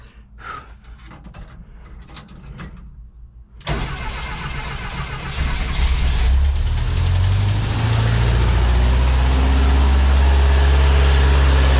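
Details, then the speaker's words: 1977 bus with automatic transmission, first drive after 30 years, carburetor engine: climbs and settles into a fast steady idle that never drops; carb idle speed set too high, carb needs adjusting. "heck yeah I do have the idle set a little high so yeah it runs um I think the carb needs some adjusting"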